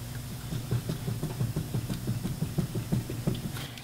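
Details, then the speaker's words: 2004 Toyota Highlander, customer reports a weird noise while driving; wheel rocked side to side by hand: quiet, rapid low clunks about three a second from play in a worn wheel bearing. "i'm to shake this going to be very quiet and i'll probably crank the audio in the video editing part of it so that you can actually hear the clunking a little bit"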